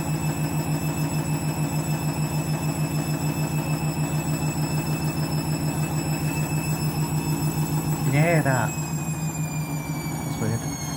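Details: Candy washing machine on spin with new clothes: steady low drone with a fast, regular pulsing beat about three per second; strange noise, cause unknown.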